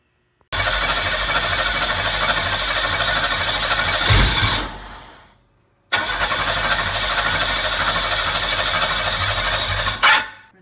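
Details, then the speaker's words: McLaren M6GT replica (Manta Montage "Coyote X") with GM 3.8L supercharged V6 from a Bonneville SSEI, after fixing a missing 12 V feed wire: two long bursts of fast cranking that never catch; fuel pump disconnected, suspected short on fuel. "yes i heard it it actually tried to turn over sounds like it might be a little bit short on fuel so let's get the fuel pump reattached and give it another try"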